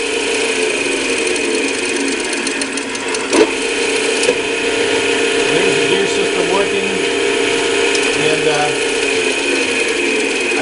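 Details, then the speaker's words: Old-style Clausing 5900 series lathe, back gear and tumbler-engaged gear train running: smooth steady gear whirr with light even ticking, no grinding or clunks; all three selectors and nine gearbox positions work, normal gearbox running. "so the three selectors on this are working and uh there's nine on the gearbox here so all this is working"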